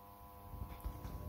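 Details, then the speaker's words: Ideal Mini HE24 boiler powered on, diverter valve actuator moving: faint steady electrical buzz from a seized circulating pump that is powered but not turning. "to me that Sound it's coming from the pump so what we're going to do we're going to check the bolt is going to the pump but that's what it sounds like to me"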